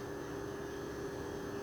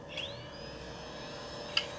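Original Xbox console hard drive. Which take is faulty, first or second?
second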